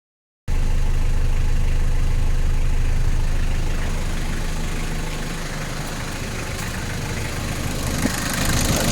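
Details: Toyota 1KZ-TE diesel after ECU repair fixed no-start: steady, even idle, low regular beat near 220 per minute with no misses or surging; runs and idles properly.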